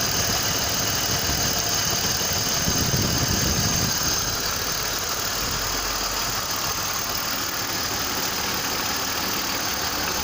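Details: BMW M52TU engine at steady idle: a dull, regular knock about three times per second over a hissy background; the cause is unknown.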